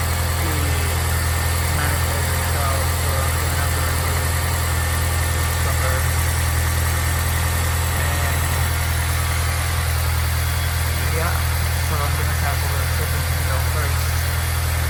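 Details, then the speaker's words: 2003 Honda S2000 cold idle: steady high whine of constant pitch over rough idle; tensioner pulley bearing failing, confirmed by spinning pulley with serpentine belt removed. "s better um well we have two issues one of them is that spinning noise I really don't know how to describe it I believe it's coming from the tensioner pce"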